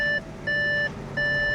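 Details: Car not started in a long time, ignition switched on: three evenly spaced high-pitched beeps, about one every 0.7 seconds. Warning to turn off the ignition before leaving the car.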